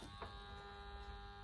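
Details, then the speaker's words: Methanol injection pumps 1 and 2 switched on in a Honda Civic EK K20 build: steady electric buzz with low hum behind it, even and unchanging; pumps running normally. "Right, so we got meth pump 1, meth pump 2. It should come on. Yep, they hear it"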